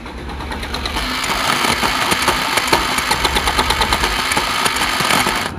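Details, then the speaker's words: Bajaj Pulsar NS 200 motorcycle engine, carburetor fitted two days earlier and overflowing fuel; engine makes a rough, uneven ticking knock about twice a second, like a shallow-well pump thumping, and rides like one; engine knocking. "Viewers, আশা করি বুঝতে পারছেন, মানে engine RPM ঘট ঘট ঘট ঘট ঘট ঘট সাউন্ড করতেছে, আর বাইক চালালে তো মনে হয় যে শ্যালো মেশিন চালাচ্ছি, এই অবস্থা।"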